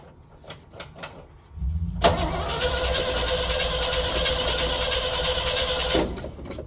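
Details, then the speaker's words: 1964 Chevrolet Suburban, new fuel pump, tank leak fixed, new ignition wiring, usually needs priming: steady starter whir about four seconds, no firing; cranks, won't start, intermittent ignition wire suspected, not confirmed. "Did not start. I gotta go under, screw with the wire."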